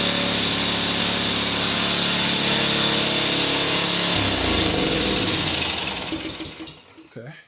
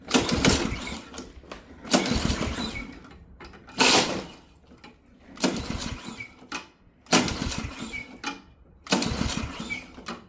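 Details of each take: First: Ariens Professional 21 snowblower, 3.6 hours, after draining bad gas, freeing stuck carb float and new fuel line: small engine starts on choke, runs loud, steady and even for several seconds, then shuts off; running fine now. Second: Ariens Professional 21 snowblower, Ariens AX 208 engine, 3.6 hours, sat years with bad gas, plug out dry, starting spray used: six pull-start bursts, each catching and dying within a second; spark present, carburetor starved of fuel.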